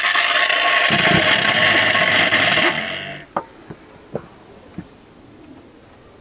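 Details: Pool filter circulation pump, which had been crackling and droning, running after disassembly and refitting the bushing and washer; a smooth, even whir for under three seconds, then it stops, with no crackle or rattle; the pump spins cleanly.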